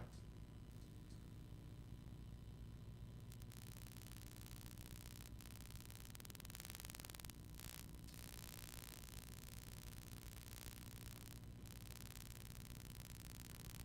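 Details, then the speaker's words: Pyle PMX7BU.5 mixer on inverter AC power: constant low electrical buzz with faint hiss, reduced but still present after AC EMI line filter and touching; mains hum, suspected grounding or earth issue. "It still buzzes, but yeah, it still buzzes, but not as bad."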